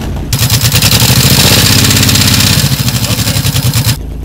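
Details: 2006 Honda VTX1800, which had top-end ticking after dealer work. Started from neutral, the big twin catches quickly and settles into an even loping idle with no ticking or knocking. The idle is healthy.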